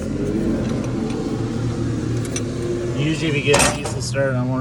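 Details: Tucker Sno-Cat with a 5.9 Cummins 12-valve diesel that went from start-and-stall to no start after sitting over a month, owner suspects a plugged fuel pickup screen; after bleeding injector lines: low cranking churn with uneven catches on a few cylinders, never runs.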